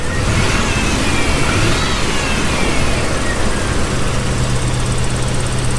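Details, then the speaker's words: Toyota 4Runner first start of build, on jump box: steady low rumble at idle with uneven beat and occasional stumble, miss worse on rev-up; misfire, owner suspects ignition timing is off. "Has a miss. It has a miss somewhere. I think it's just the timing."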